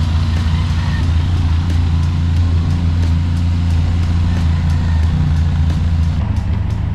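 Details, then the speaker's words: Benelli TRK502X, 500cc four-stroke liquid-cooled twin, cold start before oil change, warming oil: deep steady burble with even pulses, no knocks or rattles; healthy engine warming up. "By the way, cold start siya. So ito yung tunog niya."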